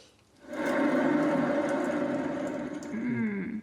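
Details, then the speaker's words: Suzuki Samurai front wheel bearing spun by hand during knuckle rebuild: coarse, gritty rumble with rollers knocking instead of spinning silently; worn wheel bearing. "this is how you know that your bearing is completely shot"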